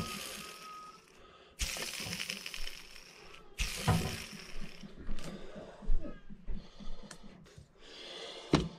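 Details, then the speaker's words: Badly worn chainsaw crankshaft ball bearing, removed and spun by hand: gritty, crackling rasp in uneven bursts, showing an advanced stage of bearing failure. "i want to talk about bearings and there's kind of different there's different levels of bearing failure"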